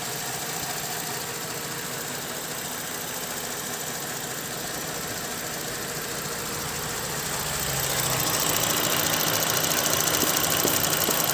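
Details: Holden VZ Commodore petrol V6 at 137,000 km, which drives fantastically, idles with a steady light ticking about two per second that gets louder partway through. Others suggest the evap solenoid; the owner is unsure whether it is the lifters.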